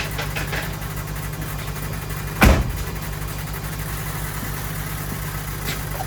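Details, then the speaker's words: 2005 Ford 6.0 Powerstroke diesel with ZF6 transmission, sat about 10 years, cranked on a jump pack: steady low pulsing with one loud clunk midway, never fires; fuel pump sounds bad, a crank no-start. "see if this thing cranks all right the fuel pump definitely doesn't sound good"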